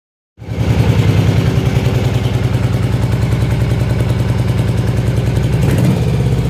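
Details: Yamaha Virago XV750 where only the front cylinder runs properly: lumpy, uneven idle pulsing about 3.5 times a second with a pop near the end as the rear cylinder misfires and backfires.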